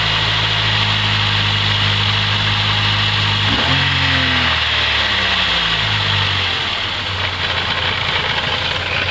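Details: Mercedes 200TE idling rough, sagging in pitch with a busy clatter on top; also sometimes stalls when shifted into reverse or drive; cause of rough idle and clatter unknown.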